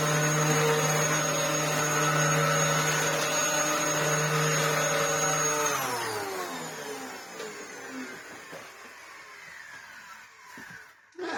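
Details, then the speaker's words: Dyson DC07 Argos Special after a new belt: a steady, even motor hum at a clean constant pitch, then a smooth wind-down after switch-off. Running fine; the earlier noise was just the belt zipping up. "I think that's running absolutely fine all that was was the belt zipping up Riding High yeah I think it runs okay"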